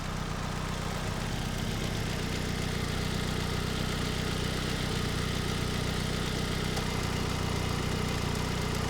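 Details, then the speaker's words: 2007 Ford Focus SE 2.0, warm after running a couple of minutes, following replacement of the belt tensioner, idler pulley and serpentine belt. Steady, even idle with no belt squeal or chirp; the belt drive is quieter than before. Normal idle. "Pretty quiet as far as belt noise goes. I mean, it's still making, you know, noises that old tired engines make, but as far as on the belt end, I think it is quieter than when we started."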